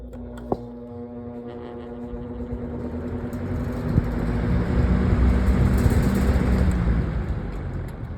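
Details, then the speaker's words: Fan spinning up: low steady motor hum with a whiny edge under the rising rush of air; motor whine on startup. "Yeah. For enough the um motor motor whine that this thing had I don't know if it's pleasant anymore."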